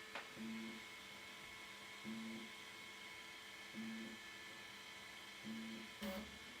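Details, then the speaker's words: Elegoo Centauri Carbon 3D printer, new, initial setup, door open: roughly 6x6 or 7x7 automatic bed leveling, short motor hum and tap repeating about every 1.7 seconds over quiet room hum; normal probing. "Now it's doing the uh I don't know like six or 7 by seven bed leveling."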